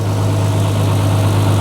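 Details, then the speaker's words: BMW E36 M3 with about 85,000–86,000 miles at a steady, smooth petrol idle, even low hum, no rattle or ticking from the engine bay; judged to sound spot on. "With the bonnet down, it sounds sweet. We're going to put it up. I always say cars always sound worse through a microphone, but through my ears right now, it sounds spot on."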